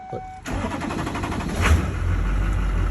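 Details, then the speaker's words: Brief quiet crank, then the 2003 2500HD 6.6L LB7 Duramax diesel catches quickly into a steady rumble after a crank-no-start was fixed by repairing a wire that had no ground; starts normally. "it starts like normal"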